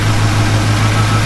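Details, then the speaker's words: Chevy Squarebody truck, hard to start, being tuned up; deep uneven lumpy idle that keeps stumbling, a big miss, owner suspects timing way off and the cam; plugs and wires not yet changed. "I'm sure that timing is way off definitely a big Mis going on here sounds like the cam that wasn't there"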